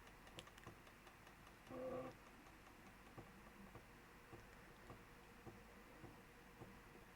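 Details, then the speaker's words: Amiga A500 external floppy drive loading a pirated backup disk: irregular dry ticking and scratchy clicks as the drive steps through; read sounds rough but loading carries on. "it sounds very rough um it's still loading so fair enough"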